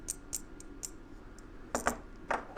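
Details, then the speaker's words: Hot tub heater relay, coil powered by a 9-volt battery: small sharp ticks and rattles from loose internal parts of the faulty relay. A good relay is silent. "You hear it clicking. Now when it clicks like that, it should be together. Like here I have one. You can hear it. You shouldn't hear that."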